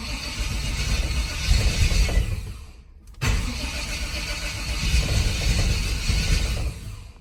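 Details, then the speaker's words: Square-body dually truck on a carburetor, sat for years: two long cranking bursts with a steady starter churn that never catch. Crank no-start because it was out of gas; it ran once fuel was added. "All right, turns out it was out of gas. So, I put some gas in it."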